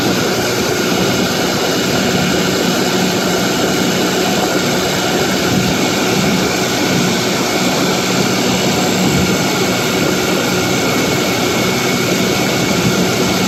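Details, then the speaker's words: 1955 Johnson QD-16 two-stroke outboard running in gear at high speed, carb cleaned: loud, steady drone with no misses or surging; runs well at the top end, though hard to start in neutral and idles poorly. "so there have it uh it's running fairly well of high speed um runs I'm quite pleased with the high speed"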